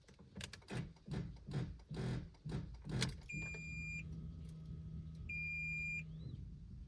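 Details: 2018 Fiat Argo in neutral, battery four months old, won't start: uneven clunks about twice a second then steady warning chime, engine cranks but never catches; temperature and battery warnings appear.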